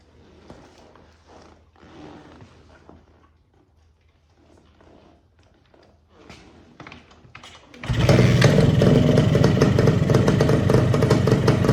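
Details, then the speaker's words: Suzuki TS185 barn find that sat 25 to 30 years, first start after replacing a leaking part with a spark plug: catches and settles into a crisp, even two-stroke buzz, running well, still needing fine tuning. "Well, I'm going to call that a success. It sounds good. It's going to take a little bit of fine tuning, but the engine sounds tight."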